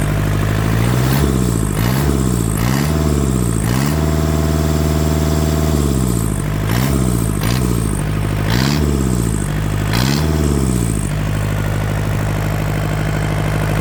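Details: Yanmar TK486 4-cylinder diesel, after a grid-heater cold start: several quick throttle blips, pitch rising and falling each time, then a steady, even idle with no misfire; no blow-by pressure from the vent.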